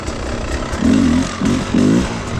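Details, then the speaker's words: Beta 300 two-stroke with Smart Carb SC2, richened 14 clicks and idle screw turned half a turn: settled smooth idle brought down a bit, with three short clean throttle blips returning straight down; normal idle. "all right idle screw half a turn what does this feel like here the idles come down a bit that's"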